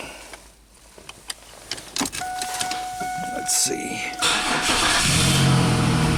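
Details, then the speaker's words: 2001 Chevy Camaro crank-no-start that stalled earlier: steady cranking at about four turns a second, won't catch until the tank is struck, then fires; failing fuel pump, about 40 psi. "you go all right got a bad fuel pump fully 40 psi"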